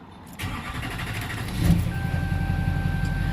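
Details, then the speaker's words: Duramax LBZ diesel truck after fuel filter change to a Cat filter with aftermarket adapter, system not primed: slow labored cranking before catching, then rough running; hard start from air in fuel, fixed by bleeding. "I took a little bit longer to start there and there's nothing now so that wasn't the right thing to do"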